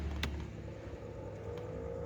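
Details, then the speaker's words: Suzuki APV cabin AC blower running with a steady low growling hum like a toy car motor that gets worse at fan speeds 2 to 4, from a worn blower motor that is to be replaced. "ya suaranya [Musik] ya apabila di kecepatan 2 3 4 semakin [Musik] parah"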